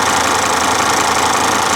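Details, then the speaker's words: A warm 2004 Volvo XC70 AWD petrol engine idles with an even, smooth hum and no knocks or misses, with good cooling pressure and no overheating; a normal, healthy idle. "listen to her though she is sitting here purring like a kitten good pressure on the cooling system not overheating"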